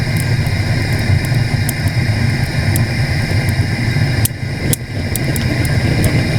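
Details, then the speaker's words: Small sprung-arch stoneware kiln, bisqued pots, fired aggressively with a blower burner: deep steady roar with constant fan hum, even throughout; normal forced-air burner at high fire. "i said i don't want to go too far with this pretty aggressive right now looks like this fan is going off"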